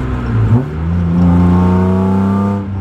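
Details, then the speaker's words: BMW E36 S52 inline-six: strong, clean rise in pitch through a rev, smooth and even with slight rasp, no knocks or misses; healthy engine. "It sounds good though. I love the S52. I love the way they sound. A little bit of like rasp to them."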